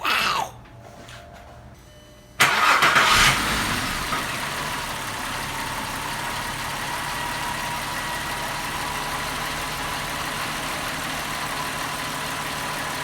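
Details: 2001 VW Jetta 12-valve VR6, first start after intake manifold shift rod replacement, cold: starter whirs briefly, engine catches and flares, then settles into a steady, even idle with no clacking.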